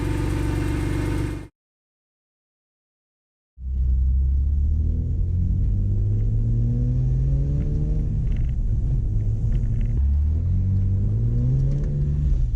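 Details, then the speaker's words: BMW E46 M3 just after a VANOS rebuild and valve adjustment. It fires after a pause and revs twice, pitch rising and falling smoothly with no ticks or knocks, so running and revving are normal. "There it is. Everything runs great on the car. The car sounds amazing and runs amazing."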